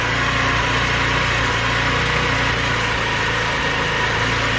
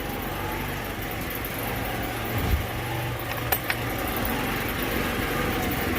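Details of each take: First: Scooter just after a cold start with a new clutch fitted: steady, slightly ragged high idle with no knocks or misses as the enricher comes on; normal enricher fast idle. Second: Scooter after a vacuum line fix and a new spark plug, not yet warmed up: small engine ticking over slow and slightly uneven, about two and a half beats a second; idle set too low, about to be raised with the Phillips screw.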